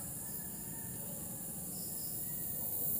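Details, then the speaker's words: Sharp LED TV with intermittent picture, held close to the power supply board: faint steady high hiss with chirpy, cricket-like tones. Power supply suspected over the backlight; failing power supply capacitor. "Kung ilalapit mo dito, maririnig niyo yung hissing sound ng power supply."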